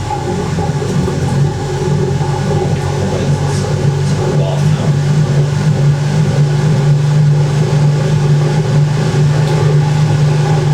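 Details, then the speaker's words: 1980s Ariston by Colston Electronic 3000 spin dryer, rated 3000 rpm with 6 lb drum, spinning with lid down; steady low hum with lightly rising whir as drum spins up, no knocking or grinding: normal high-speed spin. "I'm going to put that on with the lid down so you can hear how much more quieter it is. Watch this little jiggle it does as well when it kicks into spin."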